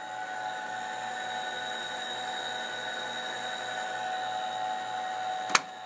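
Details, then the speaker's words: TRS-80 Model II floppy disk drive after cleaning, at power-on with a boot error: a smooth, even motor whir with a soft pulse and one click. The motor turns all the time because it runs off AC power; it is spinning normally. "Yeah, that motor turns all the time. Because it's running off AC power."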